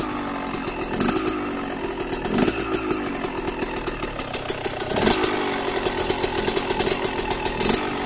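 Crisp two-stroke popping with quick throttle blips that rise and fall cleanly; engine picks up and settles without misfires, running healthy.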